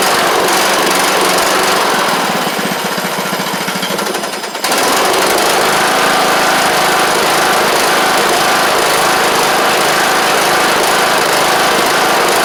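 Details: John Deere LA100 riding mower, long-sat, after carb work, running off choke: the single-cylinder engine clatters along at a fast, steady pace with no stumbling or dropouts. Owner suspects a failed spark plug and expects run time to help.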